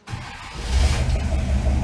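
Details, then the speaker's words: V8 fired right after reinstalling a repaired, rebuilt electronic MSD distributor (burnt control module had caused weak spark, stumbling and stalling; new coil and plugs fitted), still a bit cold: cranks briefly, catches at once, smooth even idle; normal start. "Fires right up. Running nice. Now adjust the timing back up. Nice and smooth."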